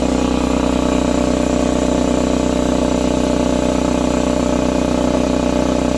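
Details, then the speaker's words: Husky C303H 30-gallon 170 psi air compressor that topped out near 40 psi, after valve plate/piston ring repair: steady, even pump drone with smooth quick beat, no knocks or hiss, building pressure again; pump runs hot. "Let's see, do we got some pressure? Yes, we got pressure this time."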